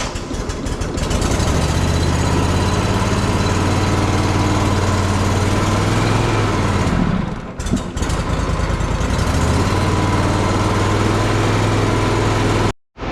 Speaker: Let's see if the Grasshopper will start. And let it run for a while. Okay, so it started.